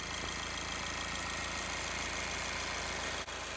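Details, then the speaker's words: Audi A6/A5 diesel idling with a fast, uneven metallic rattle over the clatter, about three a second; most likely a noisy belt tensioner and idler pulley, provable by running briefly with the belt removed. "if you have a terrible engine noise on your Audi A5 A6 that sounds something like"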